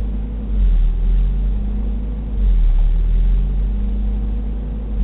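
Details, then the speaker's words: 1991 Toyota 22RE truck idling at about 2,000 rpm while warming up: a low drone swelling and sagging every couple of seconds, 22 or 23 cycles after pressing the brake, then levelling out. High idle hunting; later fixed by repairing the idle air control valve. "I've counted these before and for some reason there's always 22 or 23 of them and then it levels out until I put my foot on the brake again"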